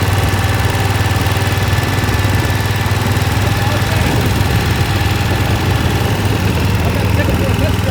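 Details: Massey Ferguson 7 lawn mower, an auction buy that sat for many years, now running after fuel line work: single-cylinder engine chugging steadily at about four beats a second under a low, even rumble.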